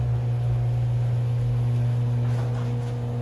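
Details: Genie 8600 screw-drive garage door opener running after lubrication and a motor start capacitor replacement. Steady, even low motor hum through the whole run with no grinding or loud squeal, much quieter than before, with only a slight leftover squeak.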